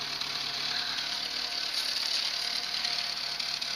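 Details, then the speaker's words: Renault R11 TXE idling after the timing belt was replaced, now holding idle better: a steady hiss with a faint puffing edge at the outlet. The cause is an exhaust leak. "Mais il y a une fuite à l'échappement hein. Remarque, ça fait du bruit aussi en sortie, hein."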